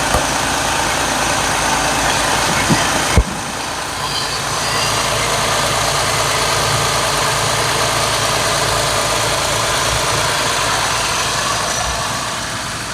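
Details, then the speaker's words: Jeep 3.6 Pentastar V6 just after changing from 0W20 to 5W30 synthetic oil to quiet valvetrain ticking; steady even idle with only a soft light top-end tick, no knocking; valvetrain sounds quieter; normal idle. "So I just started the engine, obviously, letting it circulate through. Then I'll shut it back off and check the oil level again, now that the filter's all filled up and everything. But honestly, to me, it already sounds like it's a little quieter."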